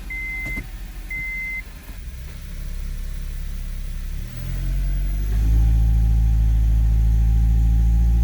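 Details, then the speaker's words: 2002 Honda CR-V AWD automatic, engine loaded in gear against the brake: a warning chime, then a deep low grumble builds, also felt in the driver's floor. The transmission mount is torn up. "a little bit with it in gear and you can hear that grumbling that grumbling is an indicator that you have a bad mount"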